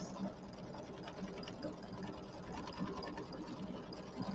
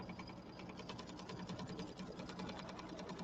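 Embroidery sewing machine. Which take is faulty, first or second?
second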